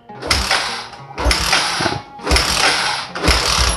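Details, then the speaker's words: Old Yamaha Jupiter MX on a cold morning: four one-second cranking bursts, engine never catching; hard starting and sputtering, suspected faulty automatic fuel valve, replaced with new part. "agak susah hidup ya teman-teman"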